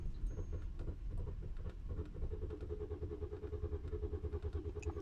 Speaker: do you hear that i am in trouble my car doesn't want to start and how can i go to my work